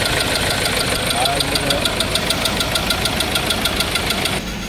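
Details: 2.2 engine, 6-speed: sharp, even tick-knock about three times a second at idle with white smoke; coolant found mixed with oil, owner suspects piston rings; engine won't switch off with the start button.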